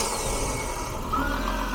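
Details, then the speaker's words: 1995/1996 Jaguar XJ6 X300 first start after sitting abandoned outdoors for 5 years, fluids checked; starts quickly and settles into steady even idle with no knocks or misses, oil pressure present; normal start and idle. "But that sounds really nice. We have oil pressure in here and I think it sounds really decent."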